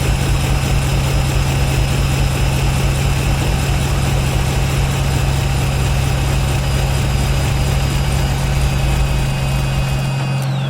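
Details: 1996 Chevrolet Impala crank-no-start after new fuel filter: steady, low, rough idle for about ten seconds, then dies abruptly; still no fuel pressure, runs longer but cuts off; owner suspects a damaged Schrader valve.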